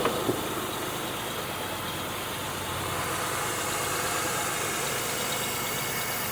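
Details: 2002 Buick LeSabre first start after replacing upper intake plenum, lower intake and valve cover gaskets, EGR chimney, thermostat, PCV valve and coolant elbows, old oil leak burning off front exhaust manifold: quiet, even idle, soft steady hum, no knocks, ticks or hunting; normal idle.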